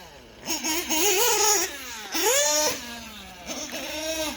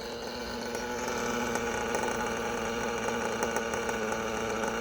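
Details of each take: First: OPS Speedster .21 nitro engine in a buggy on the track, leaned out for max power: the high buzz sags and drags under throttle with a lean bog. Owner suspects warming morning temperatures are leaning it out further. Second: OPS Speedster Power .21 nitro engine in a race buggy, leaned toward max power on a warming morning after an earlier lean bog: busy, buzzing idle with a slight waver but no stumble or bog; healthy idle after the run.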